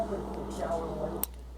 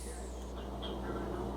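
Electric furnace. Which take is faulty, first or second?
first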